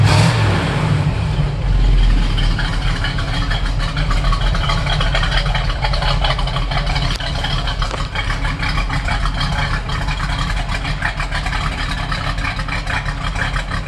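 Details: 1969 Firebird, stock 350 Pontiac V8 with manifolds and 2.5" stainless true dual exhaust and stainless mufflers: deep strong rumble swelling as throttle is blipped, no rattles or knocks; pulling cleanly.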